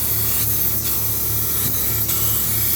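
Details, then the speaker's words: Mazda B2000 performance camshaft being ground: continuous hissing grind with a soft repeating swell every half second to second as the wheel still skips on the lobe, so indexing via the headstock may be needed; grinding wheel skip. "You can hear how the wheel has still a little skip, so we might have to do a little indexing."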